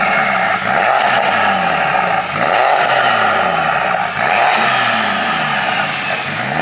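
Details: BMW F80 M3 just fitted with a single turbo kit and engine freshly reassembled: loud repeated rev blips rising and falling cleanly, no misfire or rattle; running healthy.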